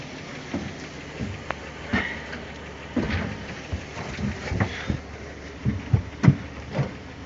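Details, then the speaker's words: Barn-find Triumph Spitfire with just-rebuilt, previously clogged carburetors (old gaskets), cranked on jumper cables: slow cranking with scattered pops and a giant backfire, catching briefly but never running; crank no-start, cause not confirmed. "it wanted to fire a couple times it had a giant backfire that like pressure almost hit my Jeep like it lit up the entire garage but yeah it doesn't really want to start right now"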